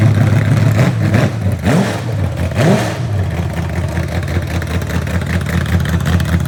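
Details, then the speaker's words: Real 1970 Corvette LT1 V8, rebuilt: deep, even burble with clean throttle blips rising and falling smoothly; healthy normal running and revving. "What you think? Still good motor. Sounds good."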